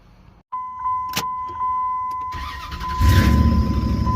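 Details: 2003 Dodge with Hemi V8, earlier no-crank traced to no communication to the ECM: steady chime, then the starter whirs briefly and the engine catches and builds to a firm idle. Normal crank and start.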